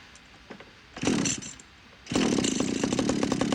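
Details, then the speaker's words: Power PRO24CCHTA 24cc petrol hedge trimmer after carburettor replacement for intermittent revving under full trigger: pull start, then it catches and settles into a steady, buzzy, evenly firing two-stroke run, starting first time without priming; normal running. "and uh with this new tends to start pretty much first time even without priming so I'm happy with that I've managed to get it up and running"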